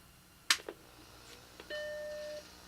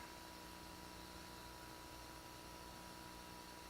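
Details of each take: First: Macintosh compact (Plus/Classic/SE) powered on after being found filthy: sharp click, then clean steady startup chord over faint squirrel-cage fan noise; normal startup bong. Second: Macintosh compact (Plus/Classic/SE) power-on, suspected Seagate drive: steady squirrel-cage fan rush with faint high whine, no drive spin-up hum or seek clicks; hard drive not spinning up.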